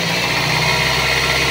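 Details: Toyota Altis after fixing noisy fan belt caused by a tensioner that would not hold, belt replaced: short, steady engine run with an even hum and no squeal or chirp, belt drive now quiet and normal.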